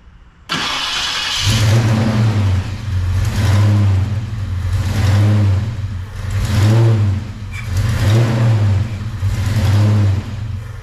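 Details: V8 after cam work and oil change, being warmed up: deep revs blipped about every two seconds, rising and falling cleanly with no ticking over the exhaust; valvetrain noise fixed, though engine not yet fully adjusted.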